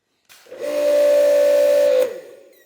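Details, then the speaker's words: New Active 2.3 electric pressure washer on an Uberflex hose instead of the factory hose: a clean, high squeal of about 1.5 seconds, new and repeated on every trigger pull, plus a slightly longer start delay; cause undetermined. "so something's going on that squeak wasn't there before but it's definitely doing it every time"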